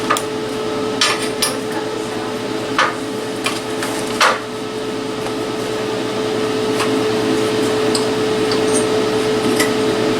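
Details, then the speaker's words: Cheap eBay plasma cutter cutting with the air compressor now on, giving steady 70 psi input pressure; steady rushing hiss with faint hum and few crackles, cuts much better than with the compressor off. "much better much much much more better yep yep when it has a steady 70 psi works way better"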